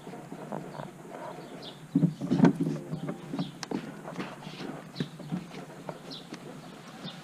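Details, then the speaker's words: Corvette, noise only in certain gear positions and in reverse: quiet, irregular clip-clop knocks; something on that side of the transmission or gearshift is suspected of rubbing, and the dealer mentioned a rubber mount. Not confirmed. "if you notice any of these other gears it doesn't do it so apparently whatever is on this side of the transmission or the gearshift is rubbing against something"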